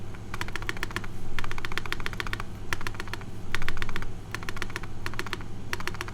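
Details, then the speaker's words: Primus custom mechanical keyboard build: crisp key clicks, but the spacebar lands hollow with a faint loose shake. Owner says it is not stabilizer rattle and suspects a loose plate; shelf-liner later reduced the hollowness. "and yeah the the spacebar sounds kind of hollow right like something's kind of shaky in there"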